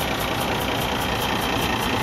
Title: Cummins ISX ISX15 compression leak to the exhaust internal engine failure